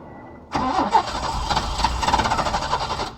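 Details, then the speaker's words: Peugeot 505 V6 manual, first start attempt after about 2-3 months parked: starter cranks evenly for under three seconds but the engine never fires; owner suspects the long storage. "okay something is wrong so find out so um I guess probably because I parked the car for too long so um that could be the reason why it's not cranking"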